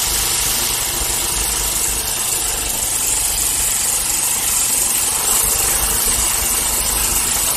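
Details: 1979 Parmi/Lazy Boy B 400H vintage push mower, single-cylinder, revived after years in storage: running steady and even, no misses or knocks, busy rattly buzz; healthy running.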